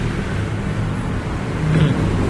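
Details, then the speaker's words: Aging Timor car stumbling at low revs despite TPS and ISC checks and throttle cleaning, with no shock felt from the leads: a low, lumpy rumble with an uneven beat. Misfire traced to a small current leak from the coil high-tension lead. "arus kecil pun yang bocor dari kabel baik itu kabel koil maupun kabel busi itu bisa menyebabkan pincang di putaran bawah"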